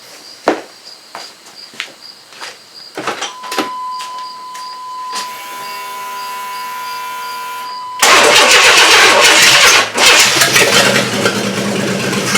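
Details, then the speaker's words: 1994 Chevy S10 4.3L early Vortec after engine install, given a shot of gas: the starter spins at a steady fast churn for several seconds but never catches; cranks with no start, and the owner suspects no fuel is getting up there. "oh yeah it's just not getting any fuel up there i'm just gonna end up killing the battery"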